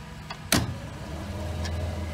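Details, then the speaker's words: Aquapod electric pump switched on at switch box via power reel, starting 10-minute filter rinse: click at switch-on then steady low motor hum settling quickly, no grinding or rattle; normal start and run. "you can hear the pump activation and rinsing mode has begun so if you look at the rinse hose we're now rinsing the filter"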